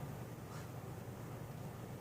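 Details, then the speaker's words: Casablanca Four Seasons ceiling fan on a solid-state control (Slumber Quiet control failed): only a faint steady low hum, no ticking or rubbing; runs quietly, normal. "I hear a little bit, but it's probably bedroom quiet even. Oh yeah. That's like I can't even hear that. Yeah. It's so faint."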